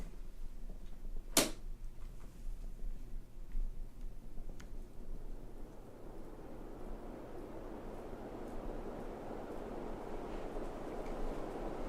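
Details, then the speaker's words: Hunter Original ceiling fan, 1989, stack motor with oil-bath lubrication: very quiet, steady low hum, no rattles or scraping; powerful for its size, running normally. "but thankfully this fan is still very powerful for its size and very quiet"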